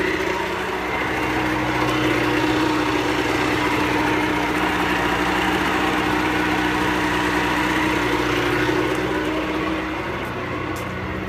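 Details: Pelin Nomad boat's outboard on fast idle shortly after a start; even, steady smooth buzzing note with no misses or knocks, a pretty smooth normal runner; only a drip from the telltale, plenty of water from exhaust ports.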